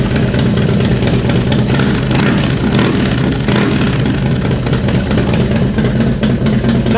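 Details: Harley-Davidson FXDX Twin Cam, about 26k miles, after cam chest upgrade, first start: loping V-twin idle with a steady, even beat and no knocking or ticking; idling normally.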